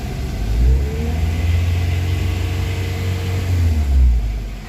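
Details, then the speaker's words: Honda Jazz after fixing a faulty idle air control valve (DTC P1519): revving is smooth and even through 1000–2000 rpm, where the rpm had hunted and stumbled before; no more hunting or hesitation. "nah ini enak ya teman-teman tidak ada mengayun atau nyendat karena sebelumnya di RPM antara 1000 dan 2000 ini kondisi rendah ya itu rpm nya mengayun atau turun naik nah ini sudah sudah hilang ya"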